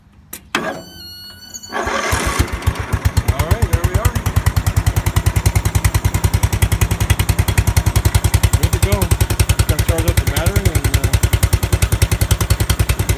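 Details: Murray riding lawn mower after replacing the starter solenoid with a universal one: the starter turns briefly, then the engine catches and settles into a steady, even chug. It starts and runs normally.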